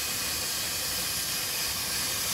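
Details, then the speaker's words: 2001 Dodge 2500 Cummins (listed as 99), engine off, intake pressurized with shop air; steady sharp hiss at the intercooler boot, slipped off or rubbed through; boost leak. "definitely hear it over here oh yeah oh yeah i can feel it with my hand it's blowing against my fingers"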